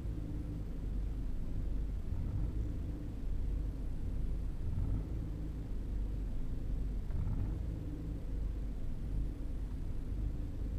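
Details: 2011 EcoBoost engine at idle: low, uneven speed rising and sagging every few seconds with no throttle input (not the owner's foot); cause unknown.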